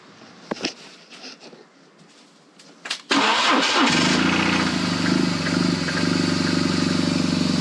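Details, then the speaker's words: BMW R1200GS Hexhead boxer twin at about 100,030 km, started after 100,000 km service work (rocker arm end play, plugs, engine guard): cranks and catches at once, settles to even steady idle, no ticking; before warm-up; normal start. "sounds good okay i'm gonna let your warm up a little bit"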